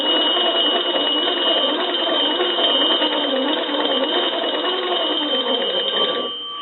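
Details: Kellogg wooden wall crank telephone after checkout and repair, magneto cranked: steady rapid bell clatter over whirring gear chatter for about six seconds; bells ring strongly and evenly, normal.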